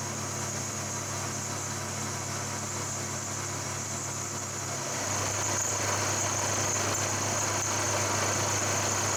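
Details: Slotting a malleable iron base with a resharpened, previously broken carbide end mill in 5 mm deep passes to 22 mm: a steady spindle drone with an even cutting hiss, no chatter or squeal; it is cutting nicely.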